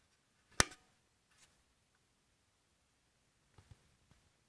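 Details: Corsair AX760 computer power supply making sharp, irregular ticks in a silent room, no steady hum; happens even with nothing connected except the power cable.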